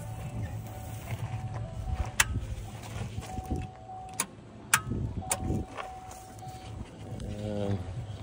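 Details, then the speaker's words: 2012 Chevrolet Cruze at a police impound auction, jump box connected: starter gives only a few sharp lone clicks seconds apart, no cranking; it has done nothing but click for the last two hours and won't start. "getting a click and I think that's all we're going to get out of this one"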